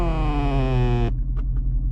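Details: 2019 Ford Mustang GT (S550) with the engine idling: creaky, groaning squeak dropping slowly in pitch for about a second, occurring randomly, unchanged by moving the seat; leather seat rubbing the center console, WD-40 to be tried.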